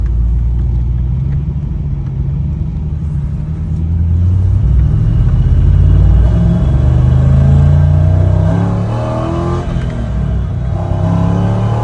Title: C5 corvette misfire under load. Code p0300 need help!